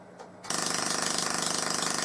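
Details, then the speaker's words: Full-bridge PLL solid-state Tesla coil in low-power testing, PLL re-enabled, antenna off ground, tuning set lowest: sharp crackling arc buzz pulsing about fifteen times a second as if interrupted, though no interrupter is fitted; cause unknown. "it's acting more like an interrupted coil even though I've got absolutely no interruptor on this at all"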